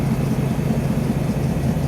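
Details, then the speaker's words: 1948 Ford 1-ton pickup with a flathead V8 and new Thrush mufflers, showing 30 psi oil pressure and mid-gauge temperature: a low, even rumbling burble with steady firing pulses and no knocks or misses; normal idle. "So I put some old thrush mufflers on it. Not old, but new, but you know what I mean. Sounds good."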